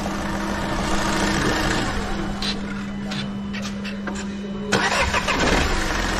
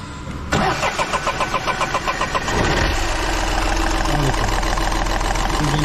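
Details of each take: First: Volkswagen Polo diesel after fuel filter change and injector work: cranks, catches and settles into a steady, even idle with no odd knocks; starts perfectly okay, starting problem resolved. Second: Volkswagen Polo diesel with a starting problem and bad noise: about two seconds of labored cranking before it catches and settles into a rough idle; hard starting blamed on contaminated diesel fuel, diesel filter to be changed.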